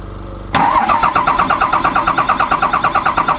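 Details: Komatsu diesel engine with low power, high vibration and white smoke: right after start-up a sharp metallic knock repeats about three times a second over the diesel clatter, pointing to an internal engine knock.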